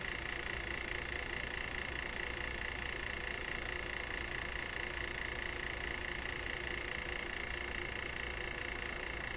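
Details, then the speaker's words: Webster record changer in an Electrohome Chippendale console, motor powered on restricted power after a lubricant/solvent spray; steady rough whirring with a rhythmic scrape about twice a second under an edgy mid-pitched tone. The noise source is unknown, and something may be rubbing in the motor. "I don't get it. What is making that noise?"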